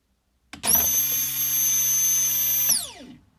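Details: 1998 Jaguar XK8 fuel pump, submerged in fuel and run on test after removal from the tank: sharp high whine starts instantly, holds one pitch about two seconds, then winds down; pump sounds off, likely weak (car allegedly burnt through two pumps).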